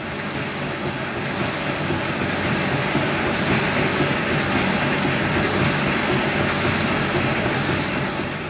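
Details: Bosch E90 dryer after replacing the worn motor relay, which had stopped the drum: steady rumble with an even rhythmic clatter about three times a second as the drum turns; runs normally.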